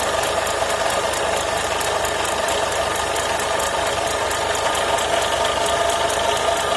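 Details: Renault Logan at idle after alternator repair: light, fast tick of about four a second over steady idle; cause unconfirmed.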